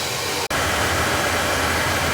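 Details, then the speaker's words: New oil boiler burner starting after a smaller hollow nozzle was fitted, draft and air band set, and the line bled: a steady, even roar with fan hiss and no pulsing or rumble, quieter than before; normal burner operation. "It's starting up. Is it quieter than before? Yes."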